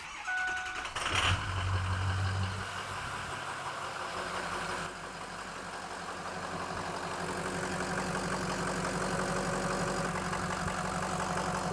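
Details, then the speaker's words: 2007 Ford F250 6.0L Power Stroke diesel with suspected cylinder 1 injector fault, start for AutoEnginuity power balance test: brief chime, quick catch, steady even diesel clatter at idle; cylinders show even, though this test is known to miss faults. "right now this data seems to indicate that everything's great look all the cylinders are nice and even"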